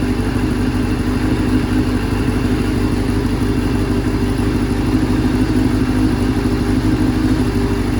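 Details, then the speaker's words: 1989 Kawasaki Ninja ZX7 four-cylinder on stand during restoration, running out of fuel before compression test: smooth, even idle with steady beat, no misses, knocks or rattles; healthy idle. "Can't believe how well it idles."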